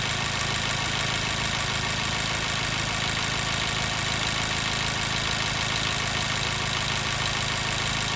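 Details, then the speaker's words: 2014 Mazda 3 2.0L petrol, warm after about 9 minutes' running: uneven, stumbling idle with a regular miss roughly three times a second, code P0302 cylinder 2 misfire; cylinder drop test at cold showed no dead cylinder. "All right, we're really starting to hear that miss."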